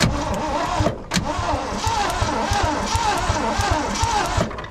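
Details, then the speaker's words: 1967 Ford truck, sitting over 20 years, first crank after the plugs were reinstalled: starter churns with sharp snapping clicks as the ignition fires through the old points, possibly arcing from the plug boot ends or cross-firing off cracked cores. "listen as i turn it over you'll hear a distinctive snapping noise listen"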